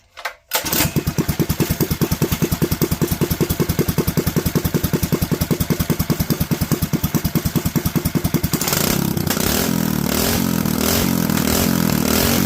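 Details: Predator 212 single-cylinder after refitting 95 main jet and .02 idle jet: starts at once, settles into a quick even putter, revs up cleanly and holds steady; normal running after rejetting.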